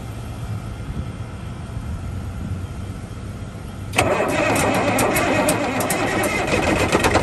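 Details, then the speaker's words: 1971 Peterbilt 352 diesel revived after sitting, fresh fuel from a jug via new line and filter: lights off into uneven, lumpy, hunting chatter; air suspected in the fuel system, pump possibly not picking up fuel. "She runs, boys. I think I still need to get some air out of the fuel system."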